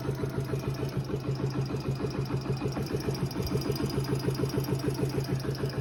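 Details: Yamaha Factor YBR K1 125 motorcycle idling with a regular tapping beat about three per second over a steady hum; owner says it is not the tappets, cause unknown; abnormal engine noise.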